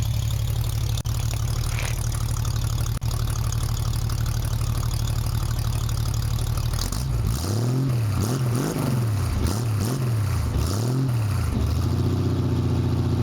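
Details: 1965 Mustang with redone fuel lines and working choke, started after already having run: steady deep rumble at idle with a few throttle blips, settling back evenly; healthy idle.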